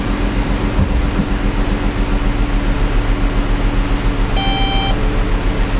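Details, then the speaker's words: Low-mileage (about 55K) 2016 Dodge Caravan with P0302 cylinder 2 misfire, near fully warm, shifted into drive; low lumpy idle with an uneven thump about twice a second and a chime, steady low-contribution miss confirmed by scan tool, low compression suspected. "Alright, yeah, we're seeing it count up there. But it feels like a pretty steady low contribution miss. And we can see the scan tool agrees."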